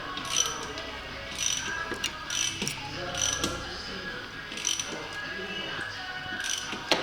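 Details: 2002 Audi S6 C5 4.2 V8 ANK, cam phaser removed and turned by hand with the engine off: irregular sharp ratcheting clicks, matching the owner's noise complaint; clicking cam phaser.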